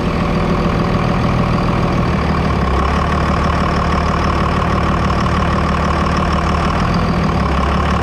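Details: 5.9 Cummins diesel with stock turbo, before removing the turbo silencer ring: a cold start settles into a steady, even diesel clatter over a deep low rumble with no misses or knocks; a healthy idle.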